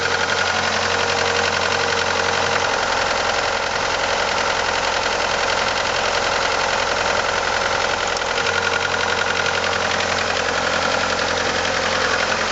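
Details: 1989 Ford Probe GT with F2T engine at idle: quick, fairly even knock near 220 a minute over the engine hum; source not yet pinned down.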